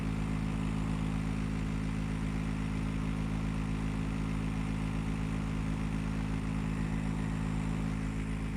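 A heavy, steady low drone with a strong hum runs unchanged throughout, far louder than normal; the unit is noisy, cause unclear.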